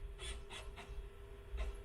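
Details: $5 garage-sale Sega Dreamcast at first boot: steady hum, faint spinning tone and short rasping seek bursts as the disc drive reads the disc normally; console works, clock battery depleted.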